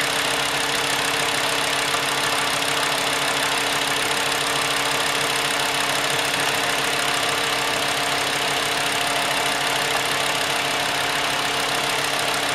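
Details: 2.5 L VW Jetta after replacing all fuel injectors for stumbling under acceleration: steady idle with light, even injector tick on all cylinders and no miss, fuel pressure 60 psi at idle; engine settles and runs cleanly after repair.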